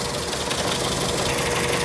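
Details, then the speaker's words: VW Gol with AP engine, burnt head gasket, running on only two cylinders: rough, uneven idle with choppy knocking beat and stumbling firing; noise can be mistaken for bottom end, confirmed by removing cylinder head. "aí ó com junta queimada funcionando apenas dois cilindros eu vou fazer um forte barulho da retirando o cabeçote mostrando para vocês"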